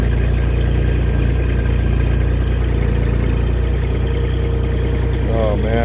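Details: Mini skid steer (V1000) diesel just restarted after repair with a new ignition switch, preheat used; steady even idle with firm low beat around 220 a minute, no knocks or misses; running healthy.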